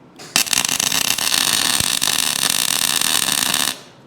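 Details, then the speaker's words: Steady, even frying-egg crackle while tack-welding head block parts on a Frick sawmill, no popping or sputtering; a clean, stable weld arc that is not too contaminated. "the sound the welder is making like frying an egg this sounds pretty good it's not too contaminated"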